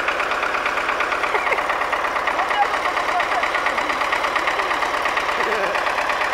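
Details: MTZ-80 tractor diesel after fuel injection pump overhaul, idling with a hard regular knock and misfiring at idle though it runs smoothly under load; knock source not pinned down.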